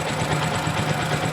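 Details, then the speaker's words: Kawasaki Rouser 135 single cylinder after repair of a loud knocking engine (others blamed connecting rod): steady, even fast idle with no knocking or slap; engine now quiet and healthy. "Yan tahimik niya mga bro. Ayos na."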